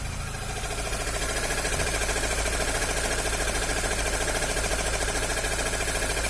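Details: Chevrolet Corsa Hatch engine idling with a fast, fairly even rough whirring pulse, about three or four a second; owner suspects a water pump, tensioner or accessory bearing.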